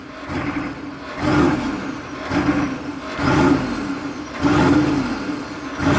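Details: 1995 Chevy K3500 6.5 turbo diesel, 160,000 miles, hard to start, races about 2,000 rpm at startup, swelling up and down about once a second unprompted; new pedal and pump driver module didn't fix it, no codes.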